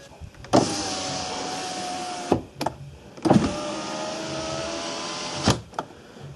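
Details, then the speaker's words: Ford Focus 3 rear power window tested with the ignition on, after the door was replaced and reinstalled: the motor pulls through two clean strokes with a smooth, even whine and crisp stops; no binding, the regulator works properly. "работает четко и без заеданий."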